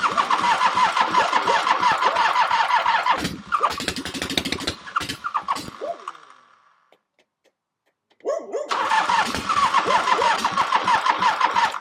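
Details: 1975 Harley-Davidson XLH V-twin, freshly rebuilt engine, first-ever start with fresh gas and oil: catches with an uneven lumpy beat, stalls, then restarts and settles into a rough but steady run.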